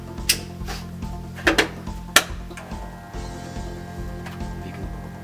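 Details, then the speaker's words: Stuart Turner Monsoon pump, board dated 2004: steady low hum, motor stalls and won't start; cause is a failed starting capacitor and PCB board, not a burned-out motor. "It's humming. Now a lot of plumbers will say motor is burned out. It's not so."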